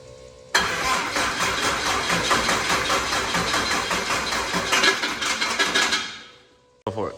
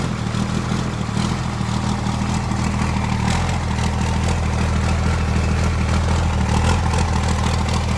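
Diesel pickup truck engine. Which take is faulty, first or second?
first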